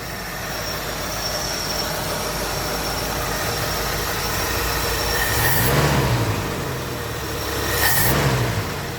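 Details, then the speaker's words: Old Ford Galaxie V8 after the cylinder heads were removed and refitted, running warm with the thermostat open: even, steady drone with no misses or knocks; runs well, and it no longer pressurizes the radiator hose or blows out coolant. Distributor still to be moved. "but uh running really good and now it has fixed my problem where it was just making the radiator hose super tight and blowing the cooling out of it"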